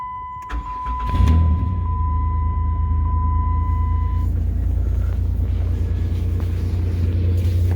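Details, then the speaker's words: 2006 Chrysler Town & Country van at idle: steady high-pitched whine from a bad alternator, with some clicking too; alternator was then replaced. "we can just double check to make sure it is the alternate action making this whining noise by unplugging the connector there"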